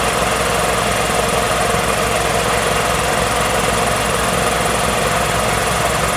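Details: Magna Force air compressor after repairs, new oiled foam air filter fitted, run capacitors fine: dense steady rattle-hum, motor starts and keeps pumping evenly with no stalling or labouring.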